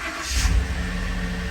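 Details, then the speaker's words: Ford F150 with the Coyote V8, cold start in the garage on a new Interstate battery that replaced the Motorcraft one, about -8 outside and 6 above inside. It cranks quickly, catches straight away and settles into a smooth, deep rumble; a normal cold start. "started ten times better with the interstate battery than it did with the motorcraft junk"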